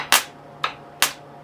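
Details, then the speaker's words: Harley Street 500 being rebuilt to 750 with original cams refitted, jumped from a salvaged jump-pack battery: three sharp dry clicks, no cranking; owner suspects that battery pack is dead, cause not confirmed. "So maybe that battery's dead. Let's try the other battery pack."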